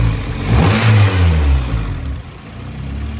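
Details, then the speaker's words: Turbo Integra with newly built B18C bottom end and rebuilt head, after bleeding the cooling system: clean blip that climbs and drops back to a smooth, steady idle with no knocking or rattle; healthy. "So, she's airing like a kitten right now."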